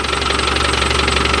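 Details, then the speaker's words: Land Rover Defender 110 diesel idling, warmed a couple of minutes; loud metallic chatter riding steadily on the engine beat, louder than when cold; suspected clutch rattle; clutch to be replaced. "I've had this running for a couple of minutes just like warm up. But that's how much louder that clutch is."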